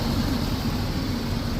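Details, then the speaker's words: 2003 Hummer H2 at 173,000 miles, Chevy V8 believed to be the 6.0: steady, even low rumble at idle with no knocks, misses or ticks; normal idle. "but those those the motor I mean sounds good it's running"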